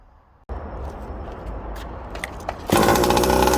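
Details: Rovan Baja RC petrol buggy, just rebuilt after rear-end damage with a new roll cage, exhaust and spur gear: rattling and shuffling, then the small two-stroke catches and buzzes high and steady; starts and runs normally.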